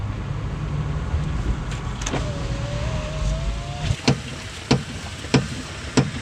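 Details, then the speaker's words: Impala on a road test: sharp hollow clunks every half second or so from the rear over road noise, caused by a worn left rear strut that was then replaced. "I'm out test driving this Impala. There's a loud clunking noise coming from the back."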